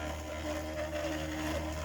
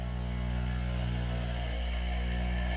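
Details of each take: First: 3D-printed maglev motor after fitting a 304 stainless steel backplate in place of the aluminium one, running on 9 volts: even steady hum with a faint higher tone, starting by itself and running smoothly. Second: 3D-printed maglev with a new 304 stainless steel backplate: the motor spins up to a steady hum with a scraping overtone that wanders in pitch, settling slightly. The backplate is rubbing because graphite was not applied to it.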